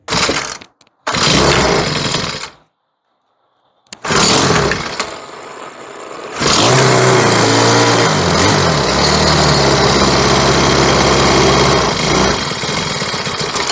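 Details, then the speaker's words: Troy-Bilt four-stroke weed eater with a replacement carburetor and new spark plug, still on yellow-tinted stale gas. Pull-start bursts and a pause, then a ragged run that sags and stumbles; it barely runs on the bad fuel. "Then after that I went ahead and tried to start it with the bad gas Here's what it sounds like with the bad gas when you try to start it"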